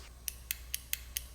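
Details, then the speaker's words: Fuel pump relay from a 1988 BMW E34 with M20 engine, bench-tested with alligator clips from battery across terminals 85 and 86: six crisp evenly spaced clicks about four per second; relay switching properly. "you can hear the relay clicking so you know it works and now i know that 86 and 85 are the two activating"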